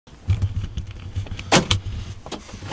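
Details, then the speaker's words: Newly delivered car with just under 700 miles, started with a single key: irregular bursts of clunks and whirs from the power door lock actuators cycling on and off by themselves. The cause is unknown; possibly a setting. "I don't know why the locks keep going on and off. Maybe it's a setting."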